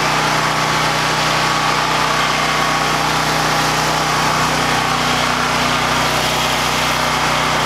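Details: Harbor Freight Predator 9000 W generator at about 3,500–4,000 W house load plus the big garage door opener: constant hum with unchanging pitch and level, no strain; carrying load normally.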